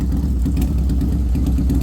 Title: Harley sportster misfiring?? Any advice is appreciated.